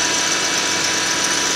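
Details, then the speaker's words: 1995 Lexus SC300, 230k miles, idling: constant high hissy whir with a thin steady whine identified as a noisy power steering pump. "that noisy here is uh the power steering pump over here doesn't sound so hot"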